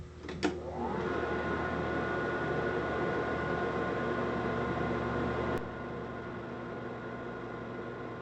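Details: Amana Radarange RR-1000 microwave run for one minute: a click and clunk at start, then a steady even hum with a faint tone until it switches off; working normally.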